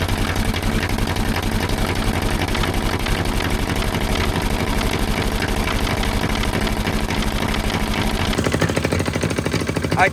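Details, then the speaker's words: Gasoline pony starting engine of a 1940s Caterpillar D8 dozer unmoved for decades, running on old gas already in its tank: fast, even popping, ticking over steadily. "It's running off of gasoline that was already in that pony tank. No way."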